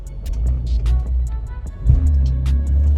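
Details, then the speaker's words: BMW E46 M3 convertible: low engine rumble with one sharp heavy thud as drive takes up in first gear; owner suspects diff and bushes, unconfirmed; driveline clunk on pulling away. "Yeah, you can hear that, guys. So yeah, fingers crossed it's not too bad. I think it's just the diff and just the bushes, but we'll find out."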